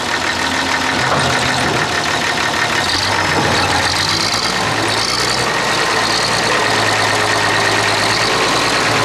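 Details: Clark Michigan front-end loader diesel working hard under load: uneven, stumbling beat; one cylinder dead, number 6 on the inline injector pump, from a cracked injector line.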